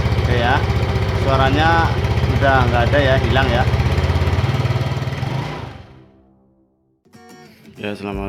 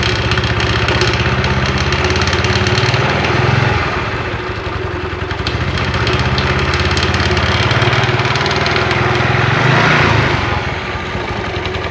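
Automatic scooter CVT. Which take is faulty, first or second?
second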